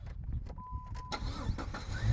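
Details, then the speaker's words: Jeep with a 350 engine and good transmission, started in park: engine catches quickly and settles into a low, even idle with no ticking; sounds healthy, normal start and idle. "Hey, listen to that motor. She sounds really, really good, man. That thing sounds wonderful."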